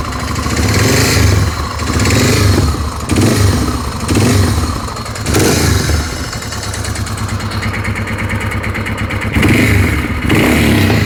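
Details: Suzuki DR650: lumpy single-cylinder idle with a few throttle blips and an extra rough mechanical note underneath; unidentified engine noise, cause not confirmed.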